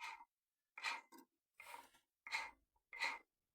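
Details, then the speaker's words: Ford C-Max A/C compressor after a pulley meltdown, turned by hand on the bench: rough dry rasping bursts about every three-quarters of a second. The nose bearing has overheated and is grinding, and no internal piston movement can be felt. "if you can hear that horrible noise, that's the bearing in the nose here, which is obviously got very hot."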